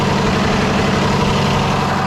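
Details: Freightliner heavy-duty truck with Cummins diesel after no-start from air in fuel: even diesel clatter held at raised idle to work air out, steady pulses, no stumbling; running smoothly.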